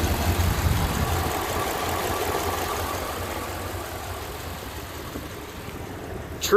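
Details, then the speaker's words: 2002 Dodge 1500B van idling after AMSOIL Power Foam engine cleaning, motor oil flush and PI fuel system cleaner: steady low rumble settling evenly, no knocks or misses; normal idle. "amazing results definitely amazing stuff"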